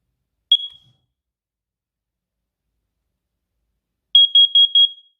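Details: First Alert carbon monoxide alarm tested after battery replacement: one sharp high chirp, then four rapid loud beeps; the alarm sounds properly and the detector works.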